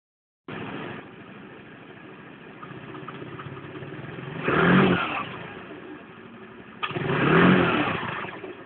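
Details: Low idle with a faint, high-pitched ticking ("tocking") at low rpm and when accelerating from low rpm; two throttle blips swell and fade without climbing freely, and the engine won't rev at full throttle. Cause unknown.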